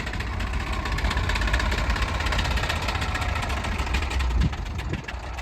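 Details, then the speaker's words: Mid-1990s GMC TopKick manure truck with a blown engine leaving a line of oil on the ground: rough, uneven idle with fast ticking over a lumpy low rumble, as if several cylinders drop out; ticking and misfire, internal damage suspected, not confirmed. "we'll uh we'll give it a listen when we get back of course I guess you could hear at the last one it's just ticking like crazy"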